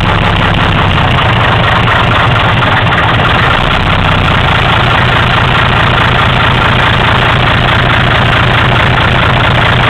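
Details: 1955 Mercedes L6600 / LS315 truck, OM315 diesel, first start after 25+ years outside and repair of sheared injector pump camshaft and drive shaft: loud, steady diesel clatter at an even beat, no misses or hunting; running healthily.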